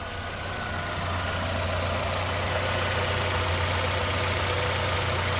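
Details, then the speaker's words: 2011 Nissan Altima, 221,000 miles, after replacing a cracked valve cover, spark plug and coil to fix a P0303 cylinder 3 misfire: even, steady idle hum with no stumble; the engine runs smoothly with no check-engine light. "I have a steady RPM. I mean, it's just humming. Uh, it sounds really, really good."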